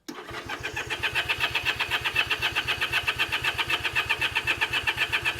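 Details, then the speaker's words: Honda CA78 305 Dream, sat 14 years, carb soaked in cleaner, throttle still seized, jets suspected not working: steady cranking about four turns a second that never fires. No fuel getting in. "nothing we're not getting any fuel we're not getting any in there"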